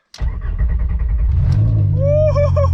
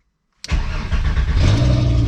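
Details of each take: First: VR5-swapped Mk3 Golf, first startup on the ground, not in gear, e-brake on: settles into a deep uneven rumble with loose rattle as the exhaust rests on its midsection with no hangers yet; exhaust rattle. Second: VW Golf Mk3 with VR5 swap, start after coolant leak and sensor repair: engine fires at once and settles into a steady even low rumble, no knocks or misses; healthy start.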